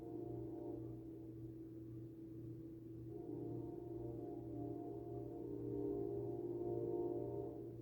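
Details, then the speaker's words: Duracrest 2-speed box fan on low speed: near-silent, soft steady motor hum with no rattle, ticking or rubbing, and still moving a lot of air; normal healthy running on low. "This fan is literally dead near silent. You can barely hear it when it runs on low speed. And that's a train. It has that nice little motor hum."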